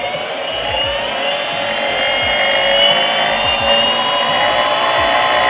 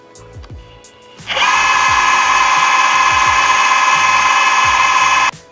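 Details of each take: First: Boosted Board V2 Dual+ electric skateboard, mic on one wheel: spinning hub motor gives high whirring with rough rattling grind about four times a second, unlike the smooth working wheel; faulty hub motor, later swapped. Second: Boosted Board V2 Dual+ electric skateboard, each wheel motor recorded on its own mic: the healthy wheel makes a loud but smooth, even high-pitched whir with no rattle or rumble, unlike the faulty, grinding side.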